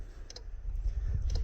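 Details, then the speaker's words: Trailer with seven-pin connector, left turn signal on: faint, uneven flasher clicks about a second apart instead of a steady rhythm, with no lamp flashing and no tail lights; crossed or tied-together wiring suspected, unconfirmed. "this will also click it'll give you an audible click actually you can kind of hear it but it's definitely not clicking the way it should"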